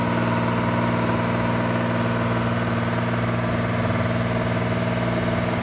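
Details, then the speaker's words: 1974 Datsun 260Z with twin carbs, being revived, throttle screws all the way down on both sides; steady but slightly lumpy idle with a low, even drone, no knocks; rough idle, carbs suspected to need balancing. "so here is the engine running at idle now so you can turn these throttle screws down these are all the way down on both sides"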